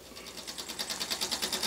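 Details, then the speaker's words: Weeden model toy steam engine on homemade boiler at about 5 psi, throttle (B valve) about half open: crisp regular steam puffs speeding to about seven a second, even and unbroken; nice chugging, running healthy. "And here it is under steam. And we've got about 5 pounds of pressure in the boiler, and the throttle is about half open, the B valve. I'm not sure if you can hear it, but it makes a nice little chugging sound."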